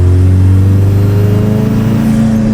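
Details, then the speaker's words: Diesel Toyota Tacoma after a new tune, building only about 20 lb of boost and coming on slowly: a faint whine climbs over the engine rumble on a downshift as boost builds; owner suspects a boost leak, none found yet. "little wine coming from up there so I got to go through and make sure I got no boost leaks"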